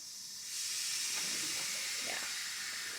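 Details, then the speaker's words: Cadillac CTS-V during a BTR Stage 3 cam install: a soft, steady hiss as about 100 PSI of compressed air fills the cylinder to hold the valves up, which is normal and shows it's working. "So that just means that it's pushing air in there and that it's working, which is good. You'll hear that little hissing sound, which is good."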